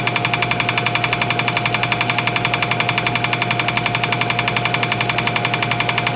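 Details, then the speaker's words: Old air compressor, reassembled after tank hydrotest: fast even pumping chug with a light steady click riding on it; the click is just the check valve, nothing wrong with the pump, normal running. "The clicking sound that you hear is the check valve. That's all that is. There's nothing wrong with the pump."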